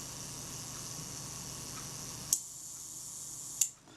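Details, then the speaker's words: Kodak Retina IIIc shutter after service and retard gear adjustment: quiet even whirring buzz ending in crisp clicks; self-timer runs down smoothly and checks out fine. "That checked out as fine, so the shutter runs down nicely, nice and smooth. Self timer's working."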